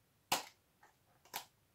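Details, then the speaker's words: Second cleaned 65 W fluorescent fitting, tested open: two sharp starter clicks about a second apart, then near silence as the tube lights normally; the ballast is very quiet, with no hum heard at all. "Donc là, le ballast, il est vraiment hyper silencieux."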